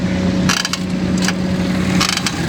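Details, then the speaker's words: 2022 Suzuki Swift, customer reports noise when pressing brakes, traced to rear wheels: steady low hum with short scraping, creaking bursts, like a door opening, each time brakes bite; rear drum brake noise, both rear wheels to be opened. "यह आवाज महसूस कर सकते हैं आप कैसी आ रही है दरवाजा खुलने की आवाज आ रही है चर करके आवाज आ रही है ब्रेक में बस आवाज महसूस करें आप"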